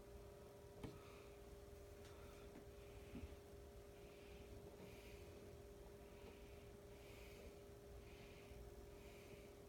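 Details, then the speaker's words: Emerson Heat Fan K63 52-inch four-blade two-speed blender ceiling fan with plastic blades, lightly restored with new downrod and two-speed pull chain, on a solid-state variable speed control at low: very faint steady hum, soft blade whoosh, barely any buzz; living-room quiet. "pretty quiet very little buzz and huntin very little hum on this you have to go right up to it demon hear it"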